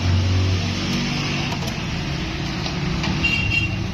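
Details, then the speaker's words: 2000 Honda City that cranked but wouldn't start; after reconnecting a loose ground (earth) wire, engine catches and settles into a steady, even low hum with no stumble or knock: normal running after start. "मार सल कंट हमारा आ गया गाड़ी भी हमारी start है भा ठीक है"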